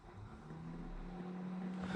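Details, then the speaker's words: Nissan 350Z with LS swap, stock radiator cooling fans wired to Holley Terminator X; fan on-temperature set to 25 degrees so it switches on; low hum rises into steady whirring as the electric fan spins up; radiator fan running normally. "you can hear the fan just turned on because it thinks that the car is within the parameters of 25 degrees, which it probably is."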